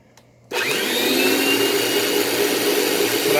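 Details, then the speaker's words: 1989 direct-air bagless vacuum switched to vacuum mode: motor spins up to a harsh, buzzy whine with a faint uneven pulse. Runs rough; owner, not an expert, suspects the fan has blown up. "i don't think it's actually defective but yeah that to me it sounds like the fan in this thing has blown up"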